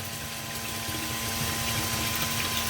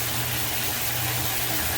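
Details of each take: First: Sump pump in a flooded parking space, pipe not glued and no weep hole; steady motor hum and fixed drone with faint water wash but no pumping surge, air-locked; a weep hole installed and the check valve cleaned. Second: Sump/grinder pump after clearing a suspected air lock in flooded pit; steady low motor hum under a strong rush of water, even and unbroken, cycling on and off properly; normal sump pump operation.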